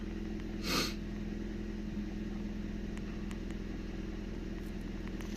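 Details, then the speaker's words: 2002 Nissan Micra K11 1.0 litre manual petrol, sluggish and lacking power, idling just after fuel filter replacement while fuel fills the new filter; steady, even idle with smooth low drone, no misses or knocks. "So just let it run for a minute to let the fuel go up the fuel line into the filter to fill it up, plus going into the car."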